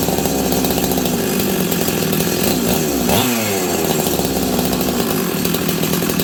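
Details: Husqvarna 385 chainsaw, sat on a shelf for years, first start: high-rev scream that sweeps down and back up unevenly. The clutch expanded and grabbed the chain brake. Owner suspects an air leak behind the erratic revving.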